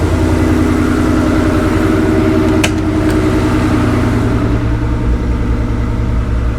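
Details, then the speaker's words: Rebuilt Ford Coyote V8 after a spun rod bearing, first start with new timing chains and no coolant yet: steady even idle, no misses or ticks, about 80 lb oil pressure; healthy. "got about 80 lb oil pressure o she sounds good wasn't missing or anything so I got got the timing chains put in all right"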